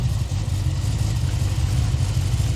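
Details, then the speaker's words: Freshly built 1000 HP Ford Barra G6ET engine on E85, cold start, untuned with cams not dialed in; a deep, lumpy, uneven rough idle. The old knock and tick from the previous engine are gone. "well there you go guys she's running she's not running well but she's running she needs a tune desperately"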